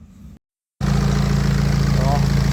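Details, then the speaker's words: Diesel BMW 1 Series (broken scrap car) at idle after welding the snapped exhaust bracket back in; the earlier exhaust knocking is gone, giving an even, pulsing idle after a brief quiet gap, though the owner still feels it doesn't run right. "as you can see, that knocking seems to have gone now, so definitely better. I still don't think it runs bright, but at least we've got one ticked off now, so the engine doesn't sound as bad."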